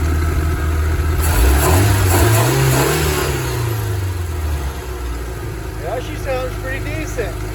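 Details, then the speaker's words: 1985 Dixie boat with a 2.5 MerCruiser, sat 6 years, running on a swapped-in electric fuel pump, in neutral. It picks up cleanly on throttle, then falls back to a steady, even idle. Normal rev and idle; riser leak suspected. "Oh, yeah. Oh, man. Runs good. Yeah, it's idling down like it's supposed to."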